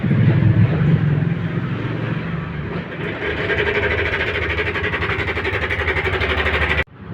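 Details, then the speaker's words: Yamaha NMAX 155 (new NMAX) scooter engine running with a coarse, rattly edge pulsing about three times a second before repair; worn cam chain tensioner, replaced via filter and cover access, after which the engine ran smooth again. "NMAX new, suara kasar. Nanti kita akan ganti ini nih. Kita sepil suaranya dulu."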